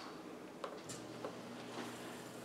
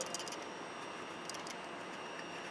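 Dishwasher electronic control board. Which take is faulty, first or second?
second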